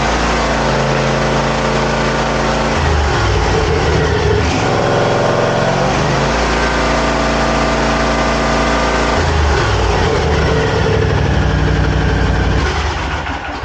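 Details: Zero-turn mower after throttle cable repair: steady even engine note at constant speed, no misses, knocks or rattles. Normal running.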